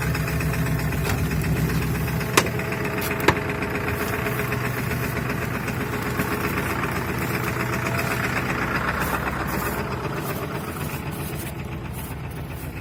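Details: Ford 7.3 Powerstroke diesel idling just after a -35°C cold start, block heater plugged in overnight, glow plugs cycled; rough idle with uneven clattering knock about four beats a second over deep drumming. Owner blames bad injectors, not yet replaced.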